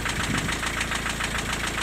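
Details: Diesel at idle after valve adjustment. The intermittent knock, present hot or cold, persists. Owner suspects a valve adjustment error or a worn valve shim. Sharp regular metallic knock about eight per second: piston slap.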